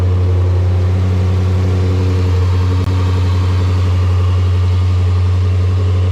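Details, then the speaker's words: Vehicle after cleaning and drying reusable cold air intake filter, run with filter housing removed: steady, even engine drone with deep intake note, no knocks or misses; healthy engine breathing through open filter. "And before I put the housing and everything back together, I really want to hear how this sounds without the housing, so let's check it out."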